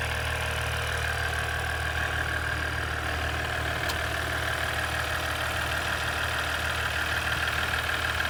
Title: 2017 Ecodiesel Clicking Noise